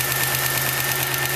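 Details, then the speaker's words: Lumina engine swap, first start after install: light quick lifter tick over steady idle while oil circulates; no piston slap, tick fading as oil warms and lifters pump up. "all right you hear a little bit of lifter noise we have to wait for the oil to fully circulate throughout the"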